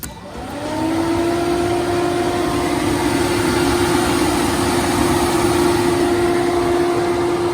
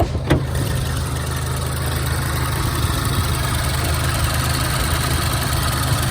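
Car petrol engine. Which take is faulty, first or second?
first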